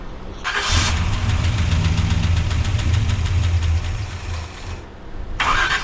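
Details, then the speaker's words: Freshly swapped Gen 6 454 big-block V8 with hydraulic roller cam in a 1976 C30 dually, TH350 vacuum line just reconnected: cranks, catches, runs rough, sags and nearly dies, won't hold idle. Carb suspected; cause unconfirmed. "Alright, so I have been absolutely fighting with this thing for a while now."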